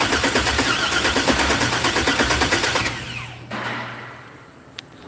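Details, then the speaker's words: 1964 GMC truck, fuel-injected, on its first start attempt after new injectors, a thick body ground and a header pipe for the O2 sensor: fast ragged chuffing that almost catches, then dies. Opening or covering the throttle to change the air doesn't get it running. "I tried opening the throttle and then I tried covering the throttle okay to change how much air it's getting it's almost there"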